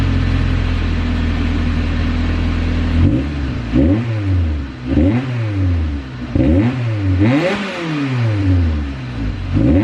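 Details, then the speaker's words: Right-hand-drive car after exhaust parts were installed as a temporary makeshift fix: steady idle, then quick throttle blips that rise and fall cleanly with no ticking or puffing, so no exhaust leaks are heard. "Alrighty guys, it does not sound too bad at all. Doesn't sound like there's no exhaust leaks or anything like that, so that little guinea rig piece will work temporarily."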